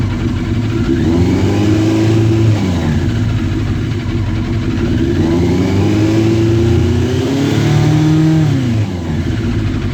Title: Yamaha Fazer 600 misfire